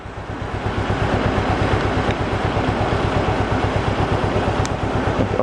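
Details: Mercedes 190E 2.0 M102, sat unused for over 3 years: low, uneven idle thumping about three beats a second with a lumpy, rocking rhythm. The engine visibly rocks a lot. The cause is not confirmed.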